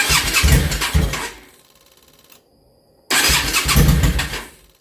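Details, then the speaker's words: Yamaha V-Star 650 Classic after new fuel lines, new fuel pump and carburetor work, now with proper fuel pressure; engine cranks, catches briefly and dies, won't idle; owner suspects an air issue, maybe too much air. "see if it starts up in Idols now that it's got proper fuel pressure died pretty fast"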